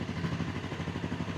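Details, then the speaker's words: £100 Honda motorcycle at idle after the carbs were stripped and rebuilt and the idle adjusted to cure over-revving: a quiet, even idle pulse holding steady without hunting. Sounds healthy and settled; normal idle. "Right, guys, we've adjusted the idling. Right, let's hope this solves that over revving issue. Oh, that sounds great. That sounds really good."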